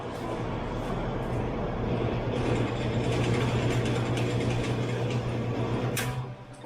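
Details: 70-year-old Homart (Sears) fan, motor wire just re-soldered, test run: steady low motor hum holding an even pitch, then winding down; the fan motor runs cleanly with no rattles.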